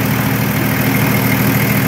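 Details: Nissan Patrol Y60, TD42 turbo diesel, idling after 9 months parked with battery disconnected; steady low rumble, even unhurried beat, no knocks or misses: normal diesel idle.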